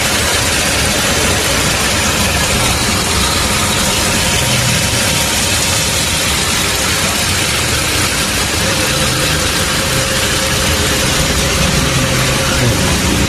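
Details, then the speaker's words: Toyota Camry 3.5 L V6 (2GR) at about 100,000 km, after full engine overhaul and new electrical connectors, test-run idle: steady, even, smooth, unbroken running with no knocks or ticks; the rebuilt engine sounds healthy. "Đây là động cơ. Hoạt động rất trơn tru. Nó đang kêu gừ gừ như một chú mèo con rồi đấy các bạn."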